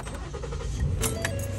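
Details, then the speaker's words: 2014 Ford Flex that cranked but wouldn't start, right after a part replacement; catches right away and settles into a steady low rumble with no stumble or misfire; normal start, problem solved. "oh my God it started right away that solved the problem that is freaking incredible"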